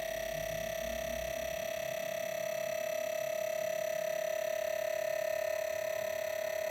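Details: New Wanbo T2 Max projector, faulty on arrival from Geekbuying with unbearable noise. A steady high whine holds one pitch the whole time over a quiet room, an abnormally loud projector noise.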